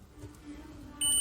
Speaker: Now when we connect two probes, we can hear the sound. So we can say it is working properly.